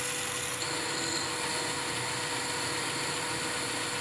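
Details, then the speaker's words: 1972 Weiler Matador SV lathe parting mild steel, running backwards, with an upside-down Sandvik CoroCut QD 2 mm blade. Steady sizzling hiss with a faint constant tone and no chatter; chatter appears only if feeding stops. "as you can hear there is no chatter it just makes a sizzling sound and there it goes"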